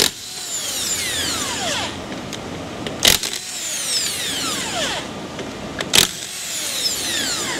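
Motor whines up and down in short runs with rattling hammer blows and sharp hits between; an old brushed impact gun working normally.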